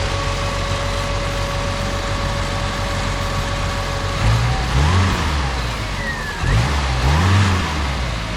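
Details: 1987 Pontiac Acadian four-cylinder with the plug wires checked as seated, during a check before a road trip; smooth, even idle, then two clean throttle blips that rise and settle without stumbling.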